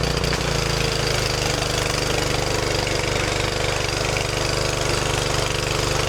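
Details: Craftsman 2800 PSI pressure washer, Briggs & Stratton 163cc, after carburetor refit and linkage fix: small single-cylinder engine at steady, even fast beat, no misses or surging; normal running.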